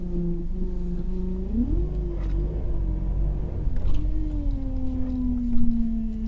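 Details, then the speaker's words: 2005 Subaru Legacy GT with a swapped JDM EJ20Y engine, fitted with a Cobb intake and Perrin inlet; a whine rises then falls with engine speed, the owner suspects the power steering pump is failing, not confirmed. "I don't know why, it sounds like my power steering pump's going."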